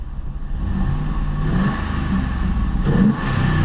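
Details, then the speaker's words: 2006 Dodge Dakota 4.7L V8 after spark plug replacement, engine a little cold so kept to light revs: V8 rumble climbs smoothly on a throttle blip and falls back cleanly, no misfire or stumble. Normal free rev. "revs up real nice I shouldn't rev it too high cuz it's a little cold"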